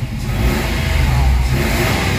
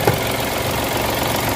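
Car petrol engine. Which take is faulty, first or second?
second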